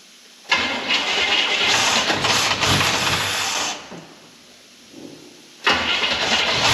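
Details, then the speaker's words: 1972 Chevy Blazer running on its carburetor after getting fuel up, before Duramax swap: engine runs rough under a loud rushing hiss from a massive vacuum leak, then stops and is restarted. "now when it's running you can hear a massive vacuum leak it sounds terrible"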